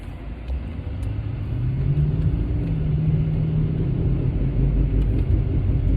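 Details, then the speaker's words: 2008 Mercedes-Benz CL550 W216 while driving: low droning woo-woo hum in rhythm with wheel rotation, concentrated at rear passenger side, rising with speed, changing tone turning left, with cabin vibration; wheel bearing suspected. "it's more concentrated in the rear passenger side and it's like a woo woo as you drive faster it increases um the sound is in harmony with the rotation of the wheel"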